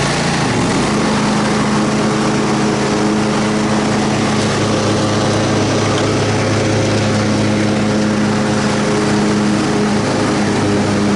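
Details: Troy-Bilt Super Bronco riding mower, rebuilt from pieces, mowing after repair: steady, even engine drone with blades spinning smoothly under cutting load and no misses or surges. The pounding is fixed and it cuts grass fine.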